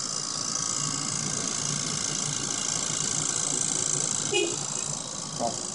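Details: 2004 Toyota Prius, car switched off and parked: a steady, high electric pump whir keeps running nonstop; the ABS pump is cycling continuously because the ABS actuator is leaking, a common Prius problem.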